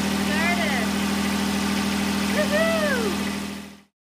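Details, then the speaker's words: Westerbeke marine diesel generator after earlier tick-tick no-start, tried on a temporary replacement battery: catches and settles into a steady even idle about four beats per second; good start. "that's a good start"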